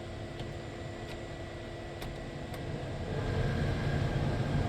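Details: LS-swapped Chevelle heater blower fan after rewiring, relay snaps on: even airy rush with low steady hum swelling as fan speeds up, AC clutch clicking heard: heater blower running normally.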